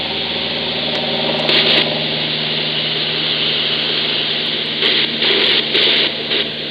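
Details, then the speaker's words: Inverter RFI from an Ecoflow River 2 Pro heard on a receiver near 49.53 in AM mode: steady buzzing whine with fixed tones and coming-and-going hash bursts; persists with powered speakers off and stops when the inverter is killed. "I heard the noise even with the front speakers even with the powered speakers off but as soon as I kill the inverter the noise goes away again"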